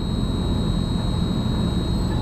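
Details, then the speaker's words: LG Multi V IV VRF outdoor unit after compressor and inverter board replacement for a CH29 inverter compressor over-current error. After vacuum mode and a reset, the inverter compressor starts, giving an even low hum with a faint steady whine: normal running. "We needed the compressor to start. For a fact that the compressor even started, that is a good sign."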